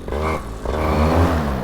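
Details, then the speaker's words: Paramotor engine after carburetor tuning: it picks up cleanly and the pitch climbs smoothly with no stumbling. It is idling slightly high with the propeller not spinning, no longer trying to die, and the low jet is working well. "Ooh, seems to be running better. It's certainly idling higher, but it'll stabilize if it's tuned right."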